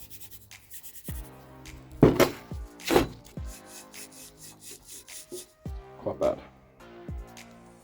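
Uneven rasping rubs as a removed wheel bearing is turned by hand: rough, worn bearing.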